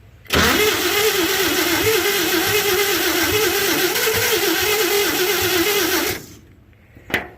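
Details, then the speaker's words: 1952 Chevy being brought back to life, with oil put in and the old starter in use, cranking steadily at about four turns a second for six seconds without firing; owner suspects low compression from slightly seized rings. Cranks but won't start. "i think i probably have low compression from the rings being seized up a little bit if i can get this thing running and get it hot i think them rings will come right back around"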